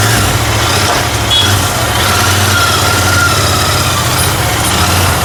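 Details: Royal Enfield GT650 twin after repair of starting, misfiring and stalling complaints, blown fuse replaced: steady even low idle thrum with constant beat, no misses or knocks; normal idle.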